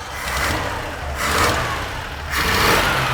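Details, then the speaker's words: 1980 Dodge D150 truck, warming up: three quick throttle blips, each rising and falling cleanly without stumble or pop; sounds pretty great, normal revving. "right does sound pretty great all that's nice nice we're in there baby"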